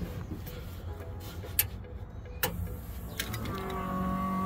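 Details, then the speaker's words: Fox Body Mustang new Holley Sniper fuel pump priming, engine not started: quiet then a steady electric hum rises and holds, no thumping. "Oh, it got a lot louder. It's priming"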